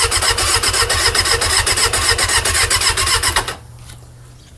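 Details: Suzuki Katana motorcycle won't start: fast, even cranking at about four beats a second with no catch. Replacing the worn spark plugs fixed it.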